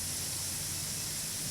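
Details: Home irrigation spray head after adjusting nozzle stem and opening left side of the arc: steady even hiss of water spraying, no sputter or surging; spray pattern good with big drops, not misting, normal operation.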